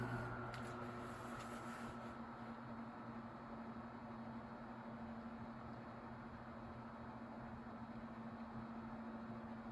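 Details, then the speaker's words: Tatung 12-inch LC-12 oscillating fan, likely 1980s, running: faint steady low hum and soft airy wash with the distinct whirr, no wobble or rattle; healthy. "e's hi so it has that really distinct whirring sound kind of similar to the galaxy fans and aside from that noise the fan is really quiet if you just eliminated that that whirring noise that i'm talking about it would be near silent"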